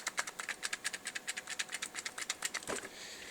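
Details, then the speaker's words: Fake Wii U Pro controller shaken: quick plastic clicking about eight a second as the loose, cheap-feeling triggers and shoulder buttons rattle in their housings. "you can also hear all of the buttons especially the triggers and the shoulder buttons jiggle quite a bit they feel pretty cheap cheap they they go down a fair amount compared to the game pad and they rattle a little bit if you can hear"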